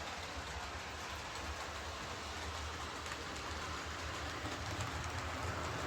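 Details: Bachmann Webb Coal Tank 0-6-2 model locomotive pulling coaches after repair of dislodged rear axles, bent pickups and a filed deformed wheel flange: continuous even rolling rush with light rhythmic clicking, no clunks. Runs smoothly.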